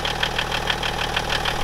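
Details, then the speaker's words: BMW E61 530xd, M57 diesel, about 350,000–400,000 km, cold idle before timing chain teardown; uneven, lumpy clatter about six beats a second, running a bit rough; injector problem suspected, not confirmed. "But I think he has an issue with some of the injectors, because it's running a little bit"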